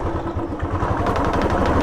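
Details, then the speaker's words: Royal Enfield Classic revved in free throttle; sharp, uneven crack-like clatter over the exhaust beat as throttle opens, heard under pickup, not a tappet noise, cause not yet identified. "Hello आज की जो video हमारी इसके ऊपर एक classic के ऊपर इसमें एक अजीब सी आवाज ए रही है जब उसका पिकअप ले रहे हैं जब ऐसा ग रहा है की क्रैक आवाज कर रही है"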